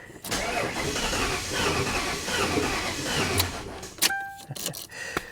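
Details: 1998 Ford Crown Victoria P71 Police Interceptor parked over 10 years: uneven cranking for about three seconds, then only sharp clicks; turns over without catching; relays heard but no fuel pump, fuel delivery suspect.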